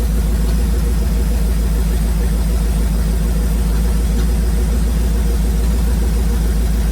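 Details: 1971 Chevrolet C40 truck, first running after carb cleaning and idle mixture adjustment: idle with low, uneven thumping pulse about three per second under the rumble; owner says the shot exhaust causes the knock, blow-by almost gone. Cause suspected, not confirmed.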